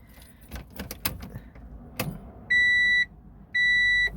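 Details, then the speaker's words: Honda Integra DC4 automatic, about 259,000 km, after sitting 10 years: after key jingling, two steady high beeps about a second apart, the normal key-in-ignition reminder chime. "good old Honda beeping so like it just starts up like a Honda no issues whatsoever"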